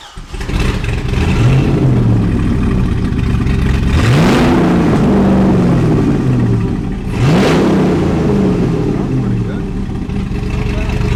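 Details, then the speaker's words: C6 Corvette Z06 with Texas Speed heads and cam, back running after a timing issue: choppy lumpy big-cam idle, then two clean free-revving blips; V8 runs properly. "that's the little floppy cam yeah back up and running all right so she's back up she's running"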